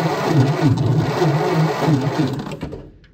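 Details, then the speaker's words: 1928 Ford Model A after sitting a very long time: slow even cranking about three thumps a second, no catch; no spark even after cleaning corroded points; worn-through wire insulation behind the cover suspected shorting, one wire needs replacing. "it wasn't sparking so I guess we have another problem let's take this cover off so obviously the insulation has worn through a couple of these wires so I need to double check these and make sure they're not shorted out"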